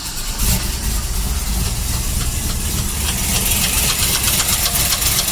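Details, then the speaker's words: Car that shut off while idling and was then hard to crank, restarted at home: rough, uneven idle with sharp ticking knocks; oil pressure seems normal, and the cause is unknown, possibly rod or lifter. "that so we're not sure might be a robbery might be a liquor we really don't know but it's pretty loud"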